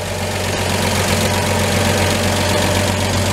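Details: 1949 Chevy 3100 pickup, worn 216 straight-six due to be swapped for a rebuilt 235, idling after brake adjustment and maintenance: steady, even low idle with faint valvetrain patter; still in good running shape.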